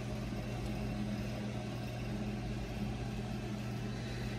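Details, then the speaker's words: Restored 1964 3M Wollensak Model 524 reel-to-reel after new belt and sanding the drive tires for grip to fix slipping at speeds other than 7.5 ips; steady even motor hum, no slipping, wow or surging, transport running properly. "and uh mechanically everything works as it should"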